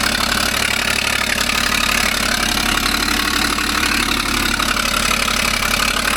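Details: 2012 Ford Falcon FG XR6 Turbo at idle: sharp hissy puffing ticking about three per second over the engine, an exhaust leak.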